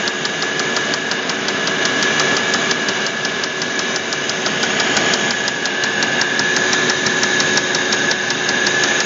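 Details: Audi A8 D3 engine with sharp metallic knocks about three per second over the running engine; connecting rod knock, with the connecting rod named as the cause.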